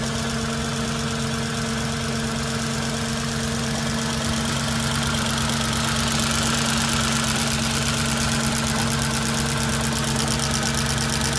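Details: Audi S4 B6 petrol engine idling cold: a steady, fairly regular knock of roughly three beats a second over the hum.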